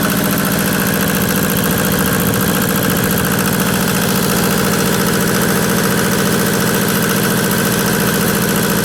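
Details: Yanmar diesel tractor after fitting a new fan assembly with new bearings, pulleys aligned: even diesel clatter at steady idle, about three to four beats a second, no squeal or rumble from the fan; normal diesel idle.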